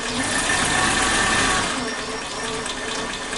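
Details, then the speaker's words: Suzuki Katana engine at idle after valve clearance check, adjusted even looser than before, crankcase breather hose to air box left disconnected: fast, even light ticking about three or four a second persists; owner suspects it is normal stock valve noise, cause unclear. "Tidak bisa halus banget, tetap ada suara berisiknya, ada suara kayak ketukan-ketukan seperti itu."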